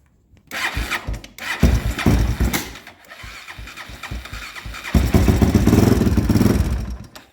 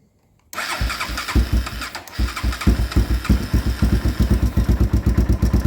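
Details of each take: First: 2001 Honda 400EX ATV engine, on choke with some throttle: cranks, catches and runs rough a couple of seconds, revs briefly then stalls; restarted and ran fine after turning the choke down, cause unknown. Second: 2001 Honda 400EX ATV after a suspected lockup, started with choke: catches, stumbles briefly, then settles into an even, steady idle thump; running properly again, normal running.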